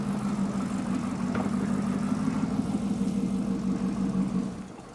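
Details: Chevrolet Corvette with a P0300 code; an in-cylinder test showed the injectors firing at the wrong time. Warm idle with a lumpy, uneven low hum and irregular dips in the beat while the cam and crank sensor signals are scoped. This is consistent with a random misfire from a cam/crank timing error.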